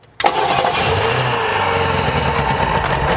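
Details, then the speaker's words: 1957 Chevy Bel Air sitting since 1985: cranks, catches at once and settles into smooth steady running, blowing crud out the exhaust, no smoke. Normal running. "come on sounds smooth yeah that's definitely running blow some crud out the exhaust did it yeah"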